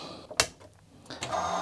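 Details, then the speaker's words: Commodore MPS 1500C colour dot matrix printer, first power-up with paper loaded and connected to an Amiga's parallel port, not yet cleaned: sharp click then short smooth motor whirr as paper advances; moves nicely, feed motor okay. "okay it moves nice so the motor is okay"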